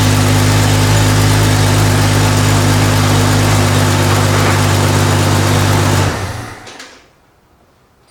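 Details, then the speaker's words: Jeep Cherokee XJ 4.0 L right after starter replacement: engine catches cleanly and settles into a steady, even idle for several seconds before shutting off; normal start and idle. "all right problem solved um starters replays fires up fine it's good to go"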